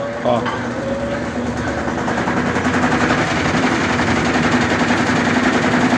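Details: Brastemp/Consul 11 kg washing machine in spin: loud irregular thumping at about two to three per second building through the spin; unbalanced basket.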